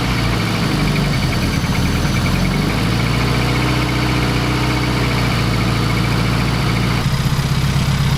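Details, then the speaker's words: Fiat Coupe 16V turbo after a new coolant temperature sensor and GFB blow-off spring: a loud low idle with an uneven drone that rises and sags over several seconds, a hunting idle; it ran a little better but failed the MOT, cause unknown. "But still, after all these replacement parts, no luck. The car ran a little better and I even got it to the MOT station. But it failed."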